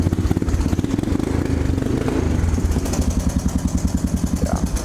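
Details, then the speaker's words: Honda 300 ATV with fresh top end and a 110 pit bike exhaust fitted: steady, loud single-cylinder idle with a blatty, uneven thump from the open exhaust, otherwise running fine. "He put a uh a 110 pit bike exhaust on it. You can hear it. It's pretty It's pretty loud. I'm not going to lie."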